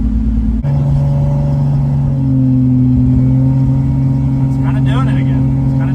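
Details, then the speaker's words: Lexus on a test drive under boost: steady engine drone under load with a brief dropout, power breaking up as it pulls; cause found to be two badly restricted fuel injectors, confirmed by flow testing. "same thing breaking up so what I ended up finding on the breaking up issue on the Lexus is the two of the fuel injectors were really restricted"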